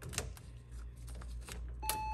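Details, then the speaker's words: Porsche 911 after repairing corroded connectors and rewiring the ignition circuit, 12.3 V: a few faint clicks, then a clean, steady mid-pitch chime when the key goes in. It never beeped before; the key-in warning chime now works. "hear that i mean a beep never got a beat before and there it is"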